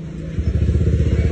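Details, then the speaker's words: Honda Vario scooter whose odometer has rolled over once: it starts quickly and idles with a steady, even putter and no knocks or rattles. The engine is quiet, stable when hot after a 15 km test, and starts easily cold. "Nah, ini buat kondisi engine-nya tuh senyap suaranya, Teman-teman. Enggak ada suara aneh-aneh lah."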